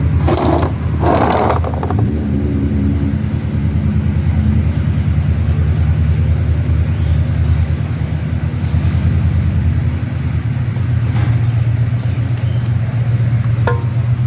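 Heavy low rumble with a rapid, steady mechanical clatter under the idle; knock traced to the engine's balancer gear.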